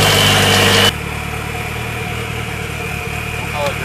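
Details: Nissan Sentra GA16DET turbo four-cylinder after a head gasket replacement, warm after driving and not overheating: idle with a slightly uneven, lumpy beat under the steady hum; runs but not perfectly smooth, cause unclear.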